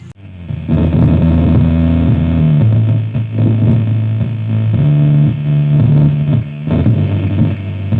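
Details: Harman Kardon SUB-TS11 subwoofer before repair: bass sounds rough and buzzy with a gritty edge on every tone; the distortion comes from components corroded by glue.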